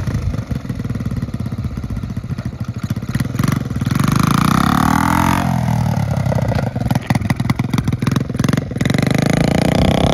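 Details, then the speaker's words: 1969 Honda Z50 (Z50A) mini bike, after full tune-up, oil change and valve adjustment, a little cold at first. Small single putters evenly, revs up and settles back cleanly with no misses, knocks or rattles. Running healthy, riding good. "Pretty good. It's a little bit cold at first. Okay, there we go, guys. Got this thing running. Seems to be riding good."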